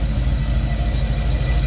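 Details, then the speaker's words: Chevy Caprice after installing an Aces fuel injection system with new fuel pump and regulator and some parameter changes: about 30 minutes of steady, even low idle with no ticks, knocks or surges; the earlier unexplained noise is gone. "We've been running for about 30 minutes, and guess what's not happening? That noise."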